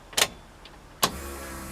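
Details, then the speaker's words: External fuel pump, newly mounted on insulators under the car after a faulty connector was replaced: a click, then a soft steady low hum as the key turns on, normal healthy priming, already much quieter. "so now when I start the car when I put in the on position she'd be able to hear the pump start at least the pump primed where it is"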